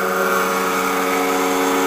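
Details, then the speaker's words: Homemade wood gasifier (built to eventually power a pickup truck) piped to a blower before a first test flare; opening the gasifier lid changes the blower's steady, even whirr, showing good vacuum and normal suction. "I open the lid if you can hear the change in the note of the blower means it's getting a pretty good"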